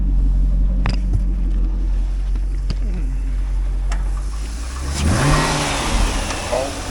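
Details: 2005 Chevrolet Corvette C6 with 6.0L LS2 V8, automatic, Corsa mufflers, warming up at a wrecking yard before part-out: deep, even idle rising smoothly as the throttle opens, with no knocks, misses or ticking; a healthy engine.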